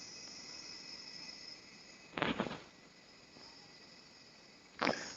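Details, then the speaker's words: OKI 40-inch LCD TV with tube (CCFL) backlight, dead with no standby, main board and inverter cables disconnected: faint steady high buzz with two sharp chirp bursts; defective power supply suspected. "Hola buenas Bienvenidos a corriente de fuga mirar tenemos esta televisión esta pantalla ok que es de 40 pulgadas que no tiene Stand By no hace nada y no escucháis El ruido que tiene"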